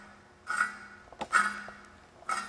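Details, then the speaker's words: 1998 Mitsubishi Mirage front hub with press-in bearing, knuckle removed and spun by hand in a quiet room: three rough gritty bursts; the wheel bearing is destroyed and needs pressing out and replacing. "again you can hear the bearing is just destroyed so what we're going to do now we're going to bring this up to uh a shop and we're going to have them press the the old bearing out and press a new bearing in"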